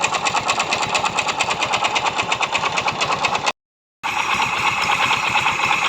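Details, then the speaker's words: Yamaha Mio Soul i 125 scooter idling with pulley set contents removed, steady hard knocking: worn connecting rod, not pulley, rollers or back plate as the customer thought. "Anong naririnig niyong ingay mga kaibigan? Connecting rod po 'yan."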